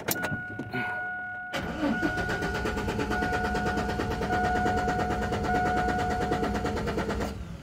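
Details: Chevrolet Silverado with no spark or injector pulse cranking steadily at about three turns a second, never catching; new CKP sensor, coil and module fitted; test light does not flicker while cranking, possibly a missing crank sensor signal to the computer.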